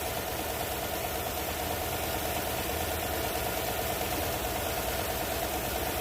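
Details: 2014 Chevy Silverado 4.3 V6 idling with an uneven, stumbling misfire, about two dips a second, caused by the defective driver's side rear coil pack arcing through its side, seen during an injector cleaning.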